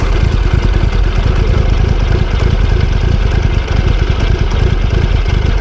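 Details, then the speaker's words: Motorcycle running poorly despite attempts to tune its Power Commander; idle is low, lumpy and loping at about three beats a second, stumbling near stalling, and it tends to shut off. Cause unconfirmed. "yeah it's already it sounds like it's already gonna sputter and quit"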